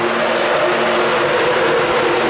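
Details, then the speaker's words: LS3-swapped Nissan 240SX (S13) with Mishimoto 11-inch race fans on shroud bolted to Mishimoto radiator, switched on engine off: strong steady rushing roar with faint hum, no rattle or ticking; fans working, big airflow. "oh listen to that listen to those race fans Roar"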